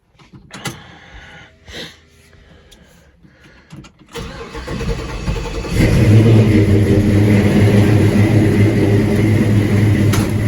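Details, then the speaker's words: LS-swapped C10 pickup, 6.0 with cam, after new injectors, first cold start of morning: short crank, quick catch, smooth steady idle that picks up cleanly when blipped; takes gas good, real snappy. "Takes gas good, it's real snappy. The injectors made a huge difference in it."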